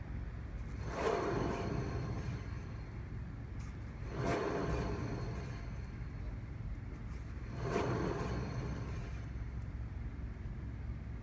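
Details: Rover Mini rolling: low droning rumble swelling into whooshing surges every few seconds; wheel hub bearing noise.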